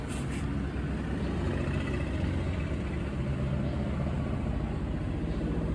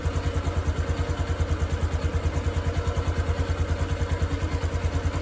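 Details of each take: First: Honda Wave 110i 2022 motorcycle: quiet when cold, but when hot after a long ride it idles with a quick, steady tapping of three or four small clatters per second; cam chain tensioner letting the chain slap, fixed by modifying the tensioner. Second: 2022 Honda Wave 110i after modifying the cam chain tensioner and bleeding air from it, for a knocking that appeared only when hot: even idle thump about three beats a second with no cam chain clatter or tapping.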